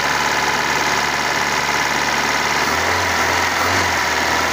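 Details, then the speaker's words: 1997 Kia petrol engine, non-starting for six months, now idling steadily and evenly with no misses after replacing a rotted coil wire; normal idle. "ganda yung ano niya ganda yung under ng makina"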